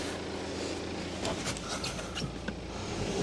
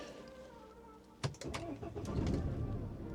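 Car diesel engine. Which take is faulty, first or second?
second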